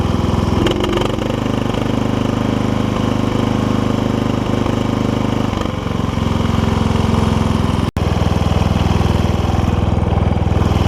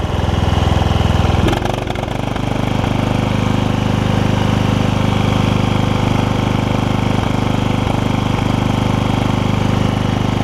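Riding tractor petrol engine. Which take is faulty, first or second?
first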